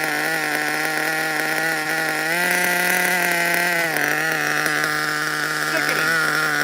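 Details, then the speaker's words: New nitro RC engine, not yet hot: buzzy high-pitched idle that holds but wavers in pitch; unsteady idle, owner suspects an air leak and says it needs a tune. "Sounds like a bit of an air leak still, but the the engine is completely like it's not even hot."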